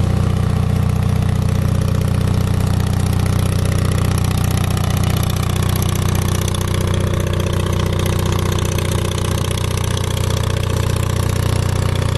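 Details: Onan 5.0 CCK-4R 5 kW self-contained 120/208 V three-phase dual-fuel genset (gasoline, propane or natural gas), low hours, on leg 1 at about 115-117 V, 60 Hz, just under a third of full load: steady, even low drone, holding speed, no knocks or misses; healthy normal running.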